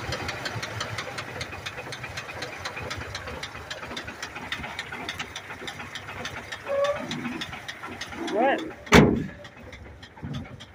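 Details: 1982 Ford F-100 3.8L carbureted V6, three-speed column manual, hood open, after fixing carburetor/auxiliary pump fuel leak: steady, evenly spaced deep bottom-end knock over idle; owner says rod knock, not confirmed.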